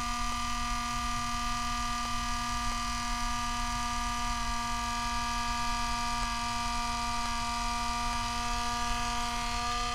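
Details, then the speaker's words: MSI MS-16Q2 laptop CPU fan drones with a steady rough buzz, grinding and high whine as its spinning blade scrapes the metal housing; laptop shutting down while still noisy, fan to be replaced. "so the what happened is that the the blade on on the fence spins and as it spins it's scraping on the uh the blade is scraping the metal so you can hear this grinding noise"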